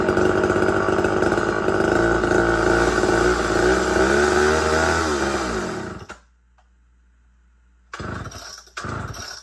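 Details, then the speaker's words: Big Red Super XL chainsaw, first use cutting wood: buzzes steadily, then sags and dies around six seconds as the tank runs empty; later starter pulls bring no firing at all, out of fuel. "But this is definitely out of gas. So it will not run because it's out of gas."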